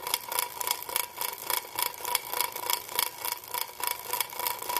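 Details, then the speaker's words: 2012 Schwinn IC Pro indoor cycle, chain guard off: sharp metallic ticks about 3.5 per second as the flywheel spins, from a wobbling, cross-threaded flywheel sprocket; chain guard noise also heard. "you can also hear that noise it's actually that's the chain guard that you heard but this is the noise you'll hear when you have a wobbly sprocket"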